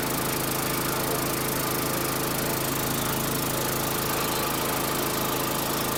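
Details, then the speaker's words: Gravely lawn mower bought at a state college auction, heavily primed, running without driveline engaged; small single-cylinder engine holds a steady, even run with no misses, knocks or surging; probably nothing wrong. "So, right now, I don't see anything wrong with this. So, probably nothing wrong with this."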